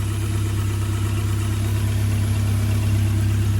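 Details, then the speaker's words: Ford Escort Cosworth idling after first restart: steady low drone with faint rapid chatter from low down, startings of a squeal; owner suspects the tensioner, likely wants a pair of tensioners. "It's got the startings of a squeal. I think that's what it is, that tensioner down there, hopefully."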